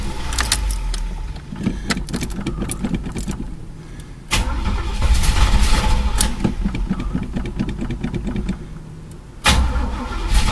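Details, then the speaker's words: Chevy El Camino parked about 1.5 months, broken gas gauge reading full: fast even cranking about three turns a second in three bursts, never catching; fuel filter bone-dry, no fuel because the tank is empty. "well here's the reason no gas getting up in the car nothing coming out of fuel filter"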